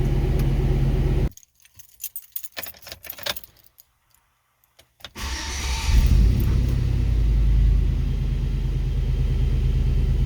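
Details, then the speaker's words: 1999–2007 GMT800 GM truck (Silverado/Sierra/Tahoe/Yukon) after fixing a no-crank fault: keys rattle, a short pause, then the engine fires and settles into a steady idle with no misses or knocks. Normal running after start. "Once you guys have isolated the issue, you should have a fully operational vehicle again."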